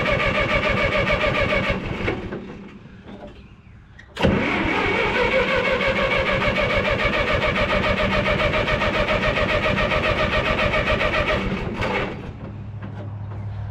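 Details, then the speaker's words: 1954 Minneapolis Moline UBU tractor after tune-up (plugs, wires, cap, rotor, points, condenser, carb clean, timing), choke out: steady starter chug about three and a half beats a second, never catching; no spark, owner suspects a points piece touching. "Okay, I think I got it figured out. That little thing off from the off the points was touching the,"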